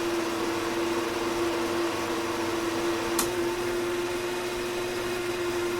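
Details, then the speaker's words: 1960s Hammond M101 organ, unplayed for many years, tone generator being oiled after start button: steady low hum with rough scratchy whir; dry tone generator bearings, sounds like a bad bearing, more oil needed. "that sounds like a bad bearing not good"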